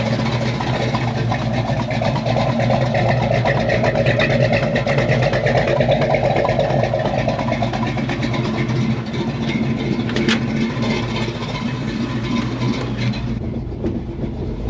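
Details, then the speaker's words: 1967 Ford Mustang with 347 stroker swap, after replacing clutch fork (bad fork and throwout bearing found), test drive: steady engine drone through gears, no clicking or clunking; clutch and shifting now healthy. "feels better yeah I don't have any immediately I don't have any clicking which that's huge right now it's not clicking"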